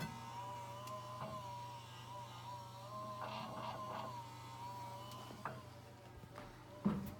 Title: Whining noise 3.11.18